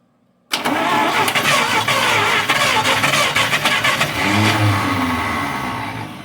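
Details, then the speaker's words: 1953 Buick Special first start since 1992 after 30 years' storage, points and cleaned rotor: cranks, catches with a few ragged firings that rise briefly, then sags and fades; gets ignition but not fuel, won't keep running. "well i do believe it's getting fuel we just got to see where our hold up is here oh it's getting ignition it's not getting fuel"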